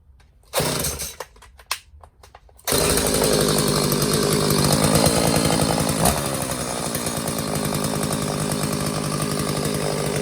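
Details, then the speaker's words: McCulloch Silver Eagle SE2016S chainsaw found in trash, after new fuel lines and carburetor idle adjusted richer to cure high idle; steady even buzzing idle with no hunting or surging; normal idle. "That sounds good. I'm going to let it idle a little bit so I can high rev it and see if I get some oil to come out."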